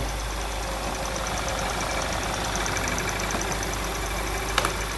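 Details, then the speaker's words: 2012 Jetta 2.0 TSI at idle, injection light on, engine condemned by another shop: a fine, fast metallic rattle over a steady idle; engine knocking caused only by a faulty sensor, new part to be fitted. "Mas o defeito dele está apenas aqui, ó, nesse sensor, certo? Vamos providenciar a peça nova, tá? Depois vamos gravar outro vídeo. Vai! Olha o barulho no motor, se você escutar."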